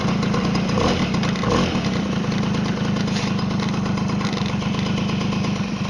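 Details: Tomos moped two-stroke idling with a fast, even putter and light busy buzz, no loose rattle; normal idle.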